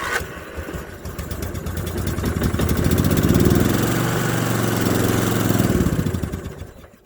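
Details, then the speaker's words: 1981 Westwood Gazelle W11 ride-on mower out of winter storage, low compression, after cleaning the fouled spark plug and priming fuel into the carb, third attempt: cranks, fires, steady single-cylinder beat for a few seconds then fades. Engine starts and runs. "it runs let's try that"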